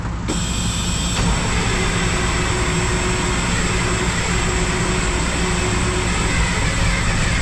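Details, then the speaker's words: 1974 Mack R Model diesel, first start after replacing a bent pushrod, valve covers off: heavy, lumpy, uneven clatter; running rough, owner notes not all the fuel is there yet. "okay that wasn't good that didn't sound right but we got to remember not all the fuel's there yet"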